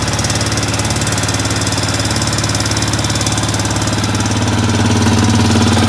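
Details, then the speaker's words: 2005 Arctic Cat 400 4x4 ATV (5-speed manual), freshly rebuilt single-cylinder engine at first run, idling with no leaks: steady beat with light even ticking about three a second, mild valve tap thought normal-ish; owner plans valve adjustment after break-in. "There's a little bit of valve tap, which is pretty normal-ish. I mean, my brother's Recon has it, so I might go in there and adjust the valves."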